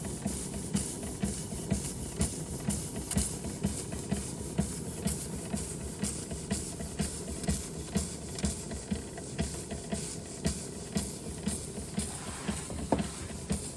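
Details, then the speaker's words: Restored Josef Falk 456/1S model steam engine under steam with water pump working: steady, even chuffs around two per second with soft hiss between; running smoothly. "And you can hear it actually sounds like a steam engine."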